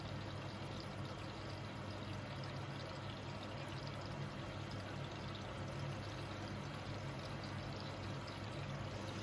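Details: Hoover H-Wash 500 washing machine in service-mode check-up cycle: steady rush of water over a low even hum, no knocks or buzzing; inlet filling normally, normal water fill.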